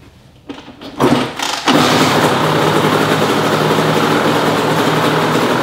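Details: 2005 Honda CR85R Expert 85cc two-stroke, stored for months because it would not start, fitted with a new NGK BR10EG spark plug: after a few quick cranks it catches and settles into a steady, crisp idle; the bad plug was the cause.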